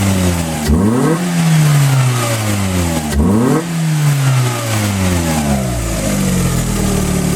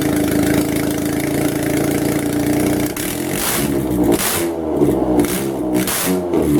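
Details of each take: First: Car #92 after advancing ignition timing: revs climb and drop cleanly and repeatedly; the stumble just before 3000 rpm that existed before is gone, pulls smoothly and sounds healthy. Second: Car #92 running with the exhaust manifold removed during manifold work: raw loud bark crackling and rising sharply with each throttle blip.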